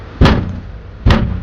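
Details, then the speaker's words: Jaguar F-Pace door: three dull thuds with a loose rattling tail as the door shuts; panel joints on all four sides have split open, letting the door panel rattle. "ये joint है ना यह देखो यह joint खुल गया company के इसी तरीके से इसमें ना चारों साइड के जॉइंट खुल गए है जिसकी वजह से आवाज आ रही है"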